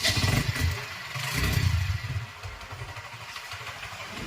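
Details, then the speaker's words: TVS Victor single-cylinder at idle: loose low clattering rattle in uneven bursts coming from the clutch, not the engine, crank or cylinder; worn clutch bell bush rattling. "இது வந்து பாத்தீங்கன்னா engine sound கிடையாது கிராங்கோ cylinder கிட்டோ எந்த சவுண்டும் கிடையாது கிளட்ச்சோட sound தான்"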